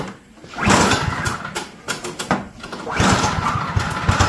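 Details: Snowblower that previously ran only with the choke shut, first pull-start after the carburetor was installed: small sputters, catches, dips, then picks up into a rough but steady run as the choke is eased off; the engine now starts normally.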